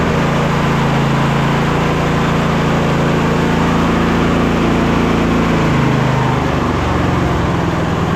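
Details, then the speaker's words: MTD White Outdoor GT2550 garden tractor, 25hp Briggs & Stratton V-twin, after a carburetor clean: steady idle with a soft, even beat and only slight speed drift, no stumbling or popping; smoother than before, running properly. "And after the carb clean I did yesterday, it definitely idles better. You could hear that. I would probably rate it like 95 out of 100. It's not absolutely perfect, but it's certainly smoother."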